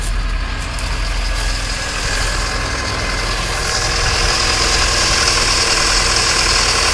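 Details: 1995 Alfa Romeo 155 2.0 TS 16V idling then revving: steady hum with a faint whirring on top; source unconfirmed, possibly worn alternator bearings.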